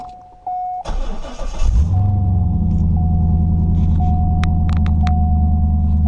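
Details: Corvette C5 V8 starting after the dash was taken apart and new resistors fitted to fix a security no-start, not driven for about a month. About a second of cranking, then a smooth, steady burble with a background chime; normal start and idle.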